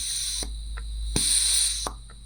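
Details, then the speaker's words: Second Land Rover/Ford 3.0L SDV6 diesel (306DT) piston cooling jet on bench test rig, releasing at about 1.2 bar; spring-loaded valve clicks open and shut with hissy bursts over bench hum, normal operation. "one releases more like at 1.2 bar. You can hear this valve moving back and forth."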